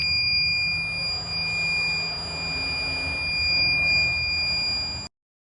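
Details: DVR recorder: a steady high-pitched electronic beep holds unbroken for about five seconds, then cuts off. This is the recorder's continuous alarm buzzer; cause unknown.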